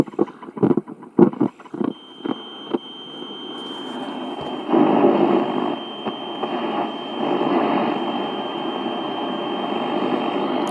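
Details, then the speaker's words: GEC BC505 (Transistor 7) 1960 two-waveband transistor portable, bought cheap and working on its old battery, before capacitor replacement: switch clicks, then steady hiss with faint high whistle and no clear programme, weak noisy long wave reception, though it sounds powerful enough. "There is something there, but it's barely legible. But it's working and it sounds powerful enough, so what am I going to do with it?"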